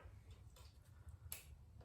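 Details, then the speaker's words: Yamaha TT-R 225 with a no-spark condition, key switched on: a sharp, dry click over a low hum as the main relay pulls in, felt in the hand. This is a normal relay click, and the relay shows 12.4 V on both sides with key on. "right now when i turn the key on i can actually audibly and physically feel it clicking in my hand you can hear it clicking and feel it clicking"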